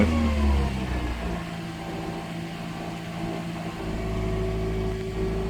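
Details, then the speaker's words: 1992 Toyota MR2 with intermittent fault (starts, then stalls after running a few minutes, previous ignition issues): engine picks up and revs, then the tone wavers and sags unevenly before stalling; fuel pump runs briefly then stops, afterwards won't run. "well there you go it's done the fault yeah doesn't run at all now I can hear the fuel pumps sort of running and then it stops that's not good"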